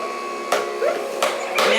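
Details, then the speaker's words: Jocuu slow masticating juicer juicing an apple: steady motor drone with crunching bursts as pieces are chewed by the auger; grinding of food is normal. "that's totally normal I've owned several juicers ranging from one to three hundred dollars and you're always gonna hear you know you're always going to hear the grinding of the food and the food"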